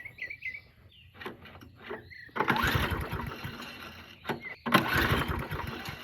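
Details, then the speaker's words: Murray 22-inch push mower, 5 hp Briggs flathead, unrun 20 years, possibly waterlogged, before carburetor work: two short sputtering bursts dying between pulls, birds in background; runs only briefly on starting fluid. "all right so it does in fact run that's a good sign keep that doing that a few times okay so it's a runner"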